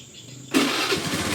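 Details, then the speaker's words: 2011 Honda Scoopy carburettor scooter, about 6,000 km, second electric start after a hard first morning start: brief starter whirr, engine catches at once into a steady idle; easy normal start. "Nah, ini dia agak mudah nih. Sudah yang pertama memang mungkin karena harus dipanasin kali ya untuk pertama kali kalau pagi."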